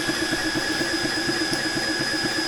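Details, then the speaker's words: Air King 300 Outback compressor running on a Ryobi battery while filling an FX Impact M4 .25 PCP rifle. Steady whine with pump thumps about four a second, sounding laboured; the motor is bogging as the battery goes flat, about 7 minutes of run time. "and to be fair, it sort of sounds like it's struggling already. Struggling. That's going to conk out in a minute."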